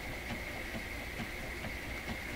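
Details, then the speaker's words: Webster record player in Electrohome Chippendale console, intermediate idler wheel resurfaced with glued rubber, motor running with no platter: steady hum with soft thump every half second; periodic thumping from uneven resurfaced wheel. "Thump, thump, thump, thump, thump, thump. That's ugly. Thump, thump. Well, obviously I didn't succeed in preventing the thumping."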